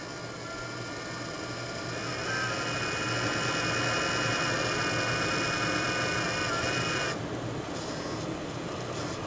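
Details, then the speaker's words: Small cooling fan from a Wanhao Duplicator i3 / Monoprice Maker 3D printer, before repair, pressed against the table: rough, steady high-pitched buzz that cuts off abruptly; worn fan bushing; owner says it stops after about five minutes, guessing the metal expands and holds the shaft. "i touch it against the table it'll do it it makes so that you can actually hear it now after about five minutes this will stop it'll start working i guess that's because the metal inside expands and and holds the shaft in place"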